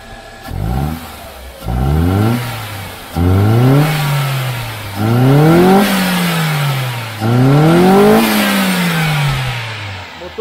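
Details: 2013 Ford Ka back at the shop after an oil and brake fluid change, started easily, fuel pressure about 2.5 and holding with good flow, check-engine light on from a disconnected sensor: five crisp revs dropping cleanly to idle, smooth, no rattle; healthy.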